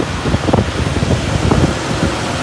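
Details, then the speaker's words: 1964 Buick Electra V8 after intake manifold core plug replacement and silicone cleanup: even low idle with steady rumble, no puffing or ticking from the manifold; exhaust leak at bottom of intake manifold fixed. "up and running so quiet [Music] so much quieter when it doesn't have exhaust leaking out of the bottom of the intake manifold"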